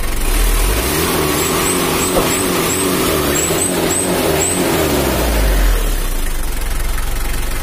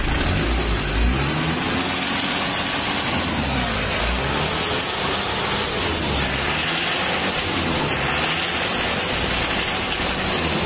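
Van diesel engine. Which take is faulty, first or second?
second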